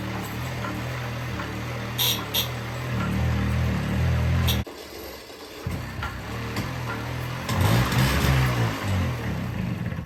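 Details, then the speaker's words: 1978 Honda Hobbit two-stroke moped, 240 original miles, shed-stored with a very rusty tank, being pedal-started: uneven chugging with weak pops that never catch. Fuel starvation; the carburetor is entirely plugged and leaking fuel. "yeah it's just not getting fuel literally though how the hell do you even ge"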